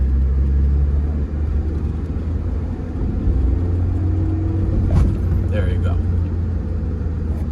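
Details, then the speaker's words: 2005 Scion xB manual in limp mode with codes P0351–P0354, under load in second gear. A deep flat drone that won't climb past 2500 rpm, bogging without misfire or rough running, traced to a shorted ignition coil. "i don't know if you can hear that but the car is severely bogging down and it doesn't go past that 2500 rpm mark"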